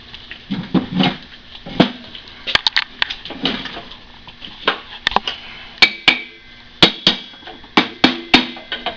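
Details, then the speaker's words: Ring and pinion gear setup on the bench, new pinion, no engine running; sharp irregular metallic clacks as gear is rocked back and forth, about 0.005 in backlash measured; gear backlash clunk. "Now we got a little backlash in there, don't we? You can hear it."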